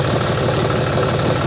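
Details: John Deere 5300 tractor idling after new alternator fitted, charging 13.18 V and fluctuating versus 11.8 V before: steady diesel clatter, settled idle, no stumbles or odd knocks; normal idle.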